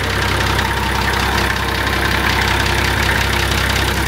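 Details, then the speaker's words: Nissan TD42 diesel, cold first start after a new oil pan and fresh Penrite oil: a steady, even clatter with no misses; the earlier roughness is gone and is believed to have been air in the system. Healthy idle. "I'm actually really nervous it sounds so much better sounds like a td42 coming good now it was just that I think that had a bit of air in it"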